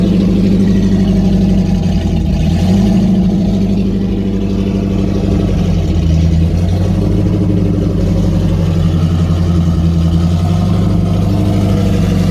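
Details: Rebuilt stock 304 V8 (5.0L) with 11R heads, 53 cc chambers, about 10.2:1 compression, not at running temperature due to coolant issue, idle not yet set; steady even rumble, no knocks or ticks; normal cold fast idle.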